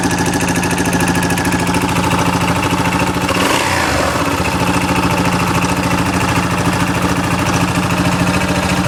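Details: 2008 Yamaha Rhino single-cylinder engine idling with the clutch off the crank gives a loose, maraca-like knocking rattle on every firing beat; cause unknown.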